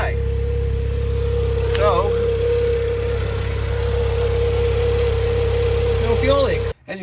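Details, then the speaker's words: Chevrolet S10 first start after new fuel feed line and filter and battery reconnect: catches and settles into steady, even idle with constant low hum, no misses or knocks. Normal idle. "I don't know if you can hear that the sound changed see if it'll start there it is that's fantastic"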